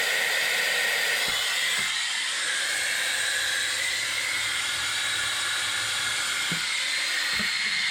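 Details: 2016 Ram 3500 dually, 6.7 high-output diesel, Aisin transmission, during a Water Wetter coolant exchange: the air-driven coolant vacuum evacuator gives a constant loud hiss with soft clicks as it pulls the cooling system down, radiator hoses collapsing; working normally.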